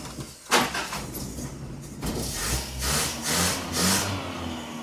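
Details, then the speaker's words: 1985 Toyota pickup, 22R carbureted engine, sat 7 years; after carburetor tuning, lumpy raised idle with irregular surges and sputters, foul gasoline smell, water from tailpipe; rough running from contaminated fuel. "It holds a high idle and uh well, it still sounds kind of lousy and I can really smell foul foul gasoline."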